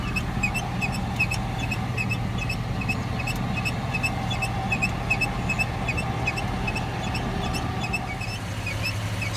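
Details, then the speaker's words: 2005 Chevrolet Silverado in Drive with foot on brake at idle: high squeaky chirps two to three times a second, heard from a stop to about 30 mph, likely from a failing driveshaft universal joint. "I'm having trouble isolating exactly where it's coming from but the best I can tell is it's coming from the G reversal joint"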